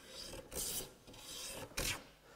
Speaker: there's some vibration there people are calling that chatter but it's not chatter it's sking it's very different all you need is a little bit of oil on the sole of your plane